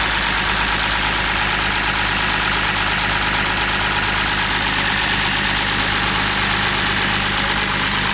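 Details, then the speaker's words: BMW E46 M54 engine after donuts, idling with harsh, continuous metallic lifter clatter. The valvetrain is starved of oil because the oil pump nut fell off and there is no oil pressure; overfilling with oil didn't fix it. "so I brought it back here and I didn't run it much when it was running like that it just sounded like awful just like the loudest [ __ ] lifter taking the planet"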